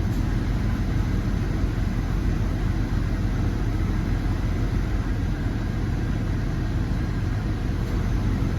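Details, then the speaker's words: Jeep WJ 4.0 after replacing the ignition coil and plugs for code P0351 and resetting the battery; it starts first try with an even, deep idle rumble and no shaking, so the idle is normal. "ด้วยสตาร์ทที่เดียวติดปกตินะครับเครื่องไม่สั่นแล้วนะครับเครื่องเดินเรียบดีนะครับ"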